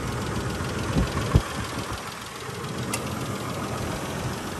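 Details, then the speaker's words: Isuzu Rodeo, apparently original 3.2 L timing-belt V6, at idle: light, uneven top-end tick about two to three per second, possibly lifter noise, that goes away as rpm rises; not confirmed. "you can hear a little bit of maybe lifter noise just a little bit of tick tick tick in the top end it's not bad as soon as you get the RPMs up it goes away though"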